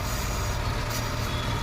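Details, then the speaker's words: Maruti Omni idling steady and even with no surging after a pipe is refitted; unplugging it had made revs rise on their own. Normal idle restored. "ये हो गया ठीक। तो ये चीज़ें आप खुद घर पे चेक कर सकते हैं भाई, ये चीज़ें हैं।"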